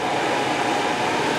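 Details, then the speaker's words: 1963 Chevy C10 heater blower motor bench-tested with a temporary ground wire during heater core replacement, turned up: steady, even whir with no scraping, ticking or wobble; blower operating normally. "All right, fan's doing good. I don't know if you can hear it. Oh, there we go. Turn it down. All right, fan's working good."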